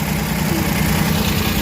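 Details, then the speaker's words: Suzuki mini van DA63/DA64 with K6A engine, being fixed for vibration at idle with the aircon on: with the idle-up checked and the aircon switched on, the small petrol engine idles evenly with no shaking or stumble. "io-on ko yung aircon Ha Ah wala siyang ano ah hindi siya n nanginginig"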